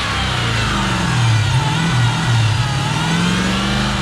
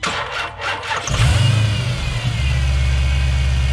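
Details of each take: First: Chrysler 300 Hellcat conversion with Challenger 392 exhaust, after startup; deep V8 climbs and falls smoothly through the revs, strong and even with no misses or knocks; normal revving. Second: Chrysler 300 with Hellcat engine conversion, startup after replacing the oil cooler return line; starter turns slowly and unevenly about a second before catching into a deep idle; weak, nearly dead battery.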